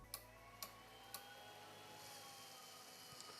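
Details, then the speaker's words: BL-Touch probe on a Creality Ender 3 Pro with BigTreeTech SKR Mini E3 V2 board, after fixing swapped kit wires, at power-up: three crisp clicks half a second apart with red light; normal self-test, probe working. "So you hear the click, click, click, click, and also I see the red light on the BL-touch. As you can see, the BL-touch is working now because the pins are switched."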